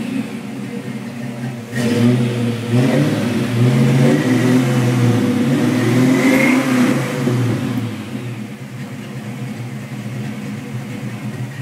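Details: 1987 Mustang V8 with BBK equal-length shorty headers, catless 2.5" H-pipe and American Thunder 2-chamber exhaust, after fixing a header leak by notching the crossmember and seating the flanges. Deep, even burble when revved with no puffing or ticking; a PCV vacuum leak remains.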